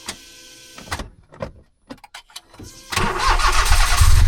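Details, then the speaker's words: Car that has been sitting, just after brake work and before the gearbox check: a few dead clicks and silences, then the starter catches, cranks briefly and the engine settles to a steady idle; intermittent starter engagement, owner suspects a sticky starter or bad connection. "So key in, come on, seems like a sticky starter to me. A bad connection. Yeah, it sounds like a bad connection to me, to be honest."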